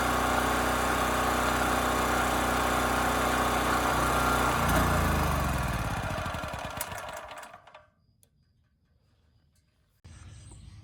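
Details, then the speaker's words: Champion 40026 generator (3000 running watts, 120 V) after carburetor cleaning (rusted tank): steady, even drone with no misses or surging at about 60–61.5 Hz, then smooth coast-down to silence at shutdown; sounds healthy. "very nice this thing started first pull turn the choke off right away and it ran quite smooth so the engine or the carburetor specifically is now good"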